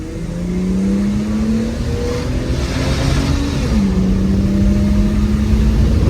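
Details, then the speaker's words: BA Ford Falcon XR6 petrol engine, formerly overfuelling and not revving past 5000 rpm, after a new fuel pump and pressure regulator: smooth climb through a long rev, dip at a gear change, then even pull; feels strong and healthy. "oh yeah it feels strong the new pump is doing many things under there"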